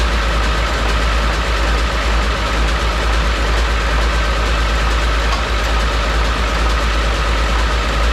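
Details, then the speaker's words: 7.3 Powerstroke diesel swapped into a 1951 Ford shoebox with standalone wiring, smoky, after struggling cranking: steady, loud diesel clatter at a fast even idle, no stumble or miss; running normally before wires are cut. "so it still runs we're going to cut some wires here and see if she still wants to start"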